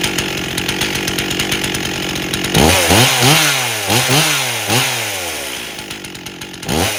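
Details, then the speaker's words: 1998 Stihl 044 Magnum chainsaw, freshly fully rebuilt, first test run with 25-inch bar and oversized clutch (spec 2700 rpm idle, 14,000 max); fast popping idle, throttle blips sag and climb slowly, bogging; suspected slightly too rich under load, not confirmed. "notice how it seems to be bogging a little bit when I throttle so it's not responding great there's a chance it might be getting a little bit too rich on the load yet"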